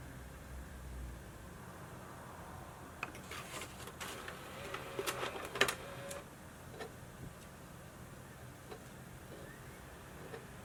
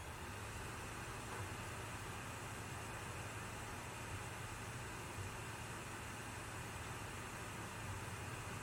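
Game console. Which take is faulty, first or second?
first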